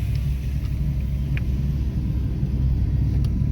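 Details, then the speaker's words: 2005/2006 Dodge Dakota creeping at about 5 mph: heavy continuous low growl and rumble that stops when the truck stops, a rolling-type noise from worn wheel bearings. "see when i come to a stop the noise go away so what you can assume based off that alone is it is a rolling resistant noise it's a rolling type noise meaning uh as you roll the noise is produced"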